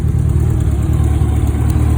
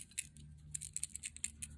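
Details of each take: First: 1984 Honda Goldwing 1200, warm, after setting all carburetor float heights and new fuel pump: steady low idle with two quick throttle blips rising and settling cleanly; no longer dumping fuel, idling perfectly. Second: New aftermarket electric fuel pump for an 84 Honda Goldwing 1200, shaken by hand: faint irregular ticks and rattles from a loose piece of solder tumbling inside the pump body.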